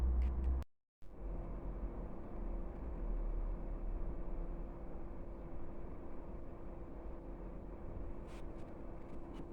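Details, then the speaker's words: Chinese diesel heater warming up after a motherboard swap: a steady low rumble and even hum, running smoothly without cutting out. It previously cut out with error code 3 (E-3); the fault was the motherboard, not the glow plug. "still warming up guys uh see in a minute you'll hear the pump start ticking but this is a good sign so far it wasn't doing anywhere we're near this level it would have cut out before and it was showing a error code three"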